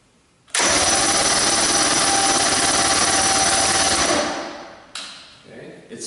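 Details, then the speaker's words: Outboard engine cranked with an open spark tester grounded to a clean screw: fast, even cranking at about three and a half beats a second, then it winds down; a strong 7/16-inch spark, healthy crank and ignition. "It's jumping a 7/16" spark, which means that when we put the spark plugs in the cylinders, it should run pretty darn good."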